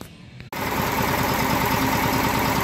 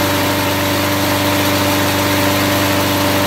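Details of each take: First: Test engine previously run on car wax in the crankcase, now with a little regular oil back in, at low speed idle: low, steady, even beat with no knock despite very poor compression; normal idle. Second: Lawn mower engine running on car wax instead of drained oil at about regular mower speed, temperature reading 225 at the start: a steady, busy, even tone with no knocking yet, very hot exhaust; it lasted the 10-minute test.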